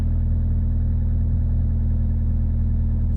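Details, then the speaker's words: 2000 Ford Focus 1.4 idling after its idle control valve was cleaned for hunting idle: steady even low rumble, smooth exhaust, no knocks or ticks; normal idle. "but yeah I mean she's there's no funny noises AP from the exhaust she sounds like she felt good there's no funny noises"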